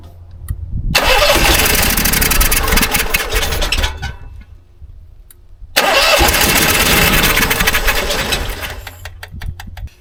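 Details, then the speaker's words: Onan 5500 RV generator, about 15 years old, unused at least 6 years with bad gas, being primed after air in the fuel line: two long steady starter cranks, never fires. Owner suspects carburetor or stuck float bowl; code 36 points to fuel problem. "I hear it slapping fuel around I may need a new carburetor this thing's been sitting so long"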